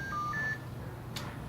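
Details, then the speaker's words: Marine VHF radio on a Lagoon 38 charter catamaran, switched on with the power button: after a couple of seconds, a quick three-note electronic chirp. Normal startup beep. "you press the power button it comes on you wait a couple of seconds and it's gonna beep as you can hear us beeping right now"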